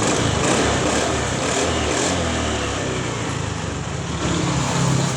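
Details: Cold Honda Scoopy scooter with a starting fault, battery at 12 V and charging about 14 V under throttle, never reaching 15 V: small single revs up and holds a steady buzzy drone with no knocks or misses. Normal revving and normal charging.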